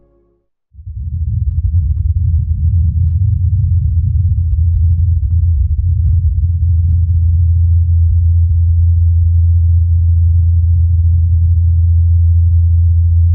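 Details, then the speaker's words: Ingenuity Mars helicopter on its fourth flight, recorded by the Perseverance rover in Jezero Crater: a steady, even low drone of the rotor blades at one pitch with no wobble or knocks. Normal rotor hum in flight. "Incredibly, during the helicopter's fourth flight, Perseverance recorded the humming of the blades."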